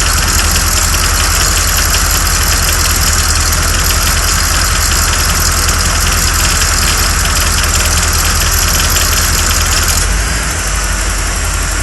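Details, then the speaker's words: 1987 Corvette A/C at idle, pressures steadily climbing: compressor whir over idle drops away near the end as the compressor cuts out around 430–450 psi, pressures then fall; cycle repeats indefinitely. "And right around 430, 450 psi, you'll hear the compressor go off and the pressures will drop back down"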